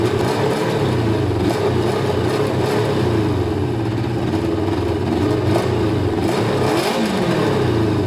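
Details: Kawasaki ZL600 with three air holes in each intake and air filter removed: uneven revving with a ragged, hunting note as throttle changes; needed choke to start, owner thinks three holes lets in too much air.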